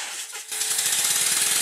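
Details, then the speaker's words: Rebuilt Stuart Score model steam engine run on air, one side powered dragging the dead side: quick even chuffs about ten a second over a constant sharp hiss of air leaking around the cylinder covers. "As you can see, there are some leaks around the cylinder covers."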